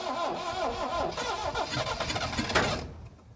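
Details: 1972 Plymouth Cricket (Hillman Avenger), off the road since 1989, battery sat 6 months, starting fluid sprayed: sluggish, uneven cranking a few turns per second with occasional catches, then dies; weak battery suspected, not confirmed.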